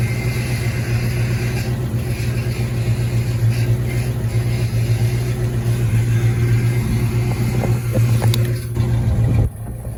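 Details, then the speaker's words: 1986 Mustang GT V8, original miles, sat a long time, just refueled with new cap and rotor, warming at idle: deep drone with an uneven lumpy pulse that never smooths; steady misfire from arcing spark plug wires. "Uh-oh. Kind of sounds like it's messing though. That's not pretty good."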